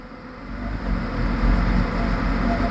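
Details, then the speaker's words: Engine revving after a fan clutch replacement: a deep, swelling rush of air from the fan, strong and even, with noticeably more air volume and a better sound than before. The fan clutch is engaging normally. "Yeah, I don't like I don't think it likes it on that coolant, but it does sound better than it did. Yeah, that uh always roll into down. It sounds like it is doing its job."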